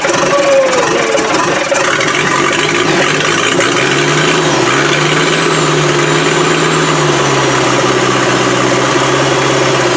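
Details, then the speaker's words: TDI diesel engine firing on a makeshift fuel tank, once a knocked-off wire was reconnected: loud, slightly rough clatter with a low wavering hum settling into a steady run. Engine started and running. "Whoa, wait a minute. She's off. Oh. She's a wild little minx, but she's running."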